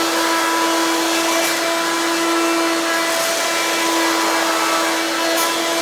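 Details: Hoover Quik Broom II S2141 stick vacuum damaged in shipping; very loud, shrill steady whine over airy rush, louder than an S2095; owner unsure if the shipping hit unbalanced the motor or broke the fan.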